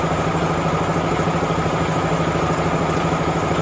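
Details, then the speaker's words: DAF CF85 HGV diesel at idle: light, quick ticking clatter about three a second, an intermittent compressor-like noise; a problem was found once the cab was tipped and fixing it stopped the noise. "weird noise let's see if it does it start it making like the only way to describe it is like a compress the noise noise they don't do it all the time it's very weird"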